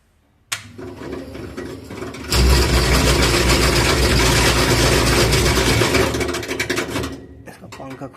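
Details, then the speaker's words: Hot air oven fan section at startup; loud rough uneven rattling whirr as soon as the fan runs, fan loose on a worn motor bore; to be fixed by fitting packing. "इसको start करते हैं जैसे fan on करते हैं इसका आवाज आता है चलिए इसको पंखा वाला सेक्शन में आवाज आ रहा है"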